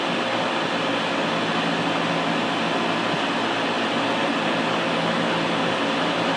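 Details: Air conditioning unit that keeps cycling on and off, running with a constant loud whooshing roar over a low hum; cause not identified.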